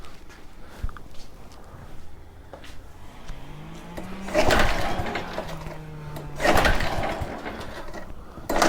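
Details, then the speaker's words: Very old Honda walk-behind mower, starting fluid sprayed in: three sharp pull-cord whirs a couple of seconds apart, each dying with no firing; cranks but won't start, no spark suspected though plug is connected. "that's not good at all do we not have spark spark plug is connected would not surprise me if we don't"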